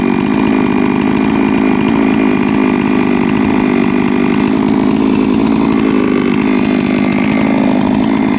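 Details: Three-year-old Huztl-based MS660/066 mill chainsaw, ported 56mm cylinder, after in-field clutch replacement: steady, high, even two-stroke scream at constant revs without surging or misfire; runs healthy under throttle.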